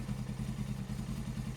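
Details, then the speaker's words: Suzuki GS500 twin, unridden for a few years, at tick-over during a service: quiet, lumpy, lopsided idle firing on one cylinder; heat gun reads only 56 on the right cylinder; improves once revs rise. "sounds like it's running on one cylinder so we get our little heat gun to the temperature of that left cylinder"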